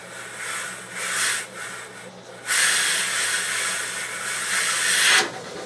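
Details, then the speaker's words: Used, apparently all-original Duo-Art rotary vacuum pump at full load with the intake closed off, pulling well over 120 in on the gauge: a strong, steady airy hiss over a low even hum with no knocks or rattles. Healthy, in good shape. "in. So, I'd say that this puppy's in pretty good shape."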